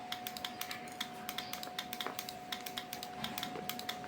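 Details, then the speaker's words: LG F1014NTGW front-loading touchscreen washing machine that is hard to start and sometimes errors. After the crystal on the power supply board (rear, below the drum) was replaced, sharp irregular relay clicking over a faint whine is heard, which is abnormal and points to an unstable power supply. "Terdengar untuk relay-nya ceklak-ceklik seperti itu dan itu tidak normal."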